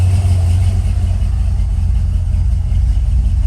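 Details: G-body Monte Carlo SS idling about 20–25 minutes after loose water pump bolts were tightened following overheating: steady smooth low rumble, even beat, no knocks, ticks or whine; temperature 184, healthy.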